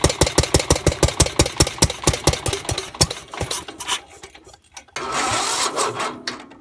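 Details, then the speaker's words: Gravely 430 with an Onan NB engine, first start on a newly built crank-trigger ignition using starting fluid and carb cleaner, after probably 25 years sitting with varnished fuel. Uneven pops that fade out as the engine runs rough and dies. Owner suspects timing slightly off or starting fluid. "it was running pretty good the timing sounds like it might be off just a hair but I don't know if that's because I was using starting fluid which is very like aggressive when it burns or if my timing really is off"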